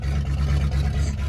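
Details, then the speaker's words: 1985 Chevy K-20 square body just started, warming up: deep, loud rumbling V8 with heavy low-end bark and no muffling; muffler and catalytic converter cut off, exhaust straight through. "cuz the cuz the muffler hacked off of it along with the catalytic converter she breathes better that [Music] way"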